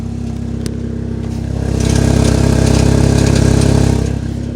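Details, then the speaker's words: Saab 9-3 petrol engine idling, heard from outside, with a light regular tick about four per second, only in the morning; owner suspects timing chain, not confirmed. "know how well you guys can hear it but there's a little ticking sound come from the motor I think I think that it might be the timing chain"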